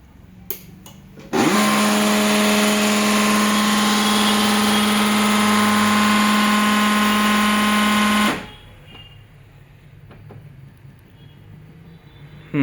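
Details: HP LaserJet M1005 printer just after power-on: loud, harsh buzzing grind holds steady about seven seconds, then stops; caused by a cut, worn pulley on the motor.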